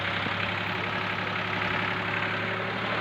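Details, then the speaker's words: Old Ford tractor diesel: the nozzle was checked and found fine, then screws were loosened and the fuel slowly increased. On restart it gives a steady, even idle with a smooth chugging beat and no knock or misfire; the problem is now fixed. "फिर अभी भी हमने इसको start किया कि कबीर काफी अब तक इसका साउंड बिल्कुल सही हो चुका है"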